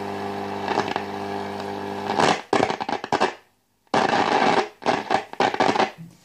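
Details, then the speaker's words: De Wald model 310 AM/SW five-valve tube radio under repair: a steady hum broken by harsh crackling bursts and dropouts when the variable tuning capacitor is touched. Capacitor is dirty or partly faulty. "tocando el condensador variable este ese chisporroteo que se oye no es nada bueno quiere decir o que o está sucio o hay alguna parte del condensador que no está funcionando bien"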